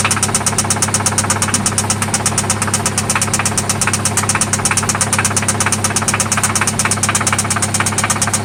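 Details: 1995 Toyota Celica ST idling after an oil change and spark plug replacement: a loud, steady ticking knock about twice a second over a rough idle, on engine rhythm; it seems to come from one spot, and its cause isn't pinned down.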